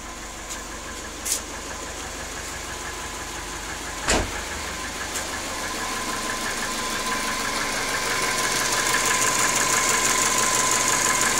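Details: Cold, not warmed-up 1997 Subaru Forester SF5 turbo idling with a light, regular knock about three times a second, attributed to cylinder 4: piston slap before warm-up.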